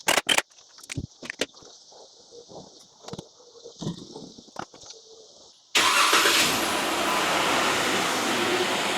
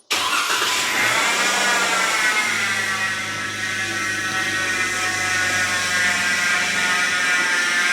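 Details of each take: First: Jeep Wrangler JK 3.6 liter at idle after replacing idler pulley and thermostat: starter clicks, catches, settles into steady idle with no more belt squeal from the front belt drive; normal belt drive. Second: Jeep Wrangler JK engine running, airbox in place, probed with a mechanic's stethoscope rod: steady high whine layered over the idle, no knocking; rough upper idler pulley bearing.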